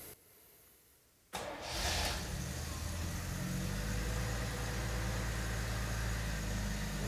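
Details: 1977 Jaguar XJ12 Series 2 V12 after starter replacement, exhaust refitted, possibly slightly flooded: starter spins briefly, then the engine catches and settles into a steady, smooth low idle with no knocks or misses.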